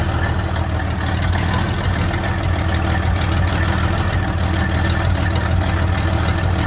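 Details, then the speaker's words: 1972 Freightliner cabover just started after 27 years: loud, uneven low chugging idle with irregular beat, missing on some cylinders while still clearing out; about 80 psi oil pressure reported. "I didn't think she ain't trying to run away. It's clearing. It's just clearing some holes out."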